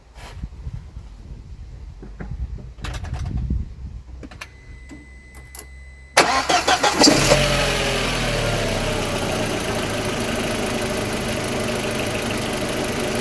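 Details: Audi A4 B6 1.8T petrol, after replacing ignition coils (one found faulty) that caused misfire and jerking under acceleration: a few clicks, quick crank, instant catch, faster than ever, then steady even idle with no stumble; normal idle.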